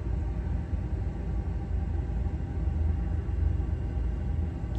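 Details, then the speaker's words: Goodman gas furnace after DIY gas valve replacement: soft, steady low roar of lit burners with no pops or flutter; flame slightly yellow at first from air in the line, then blue; normal burner operation. "a little yellow in it I think that's just cuz there's probably still a little air in the line but there it goes yeah nice and blue"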